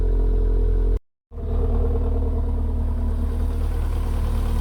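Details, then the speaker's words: Car started after O2 sensor replacement with downpipe dropped and a new battery fitted; penetrating oil smoking off the manifold: engine catches after a brief gap and settles into a steady, even idle; after 15 minutes near temperature, no engine warning light. "right so she's been ticking over for about 15 minutes almost up to temperature oil started to move so she getting up temperature still no sign of engine any engine warning light"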